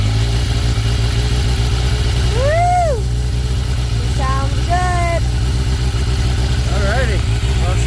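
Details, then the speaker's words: 1996 Yamaha FZR600, first start after the owner backed into it, near-empty tank: settles into a steady, even idle with a low smooth beat, no knocks or rattles; normal idle. "running again guys so uh yeah I'm going to keep fixing her up"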